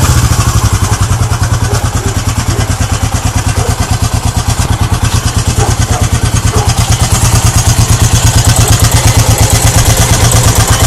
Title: Gs400 clunking sound